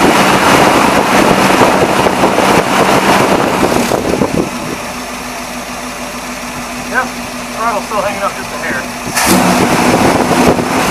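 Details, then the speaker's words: 1978 Dodge Warlock truck engine after draining old fuel, adding fresh gas and filling carburetor bowls: loud crank and catch, then steady even idle with no misses or knocks; normal start and idle. "but man fire right up idle great once it filled up the bowls man it sounded real good"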